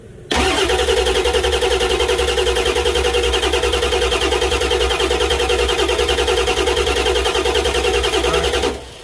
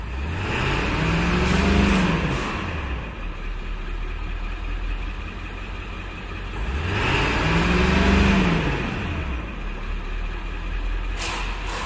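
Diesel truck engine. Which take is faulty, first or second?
first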